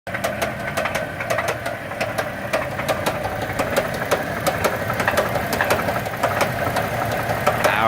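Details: 2007 Dodge Dakota 3.7 V6 gasoline engine that slung a rod: sharp, hard metallic knocks hammer over the rough-running engine at about two per second. This is severe rod knock.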